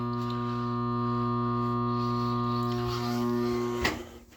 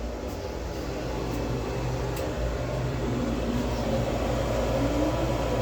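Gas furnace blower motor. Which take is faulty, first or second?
first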